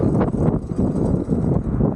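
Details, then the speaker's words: Gokeep F5 electric scooter, 52V 20Ah, riding uphill around 26–37 km/h: irregular loose clattering knocks under the electric hum from the front brake, which wobbles though bolts seem tight; rider suspects misaligned brake pads. "Oh là là quelle horreur ! C'est le frein avantin. Il il gigote hein."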